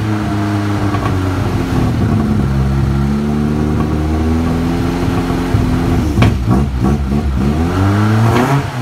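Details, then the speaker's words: 1964 Mk1 Mini with a geared starter, not started in a few weeks. The cold engine catches and revs unevenly, its pitch swooping up and down as it struggles to settle. It is a rough cold start, and the cold-start issue was never sorted. "Never did sort out the cold start either."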